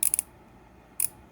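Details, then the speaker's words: Pittsburgh Pro 3/8-inch swivel head ratchet from Harbor Freight, new out of the package, flipped left and right: crisp, even bursts of fine clicks with no skipping or slipping; pawl engages properly, normal ratchet. "on the 3 8 inset ratchet there's no issues here whatsoever and you can flip this from left to right very easy there's no slippage"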